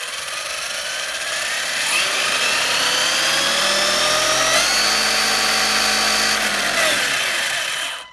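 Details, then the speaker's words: Arrma Kraton EXB 1/8 monster truck after differential teardown, reshimming and pinion grub screw clearance fix, run unloaded on its back: clean electric whine rising and falling with throttle, no grinding or skipping; normal drivetrain run, though owner believes an issue remains. "Yeah, when you just have it up on its back like this, it sounds all right."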